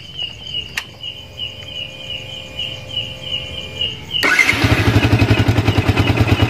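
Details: Yamaha Vixion single-cylinder after replacing the regulator/rectifier (kiprok) to clear MIL code 46, charging steady at 14 V: starts and runs with even, steady beat and clean revs; faulty kiprok was the cause.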